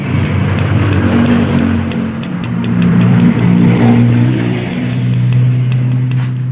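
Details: Yamaha Aerox scooter engine: rough noisy idle with uneven low knock underneath; diagnosed as a faulty connecting rod big end, rod to be replaced and pressed in.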